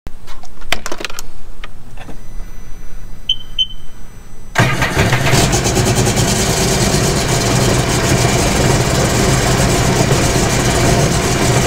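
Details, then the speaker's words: 2017 Sea-Doo GTR 230 with a P0201 injector fault and cylinder 3 misfire, restarted after reseating a loose pin in the injector harness connector: quiet clicks, then it settles into a smooth, even idle with no misfire. Normal start and idle. "Okay, I didn't hear a fault on that one."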